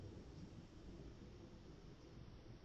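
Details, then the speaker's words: Replacement fan for an ATX power supply, swapped for a quieter one: only a faint soft low rush of air, no ticking, rattle or whine; much less airflow than the loud original, running quietly. "uma pessoa essa daqui você nem escuta o barulho dela"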